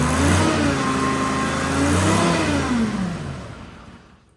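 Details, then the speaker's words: Detroit 3-53 two-stroke diesel in a padfoot roller, started after sitting in the elements for years; throttle not yet figured out. Engine revs up with a smooth rising drone, holds, then winds down evenly to a stop; sounds good, healthy normal running. "sounds good I haven't figured out throttle yet so I'm still you got again"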